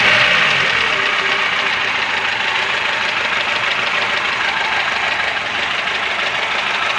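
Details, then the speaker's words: Engine idling with a fast, uneven knock about three per second persisting after a valve adjustment. It sounds like a valve, but the owner suspects a piston or connecting rod; unconfirmed. "Клапана відрегулювали, але все рівно якийсь звук є, щось товче. Дуже похоже на клапан, але певно або поршень, або шатун."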